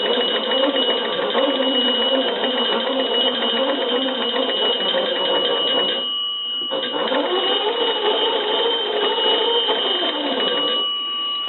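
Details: Kellogg cathedral-top wooden wall crank telephone, fully repaired, door shut for final checks: fast, even clanging of the bells while the magneto is cranked, pausing briefly and resuming strong; ringer and magneto working properly.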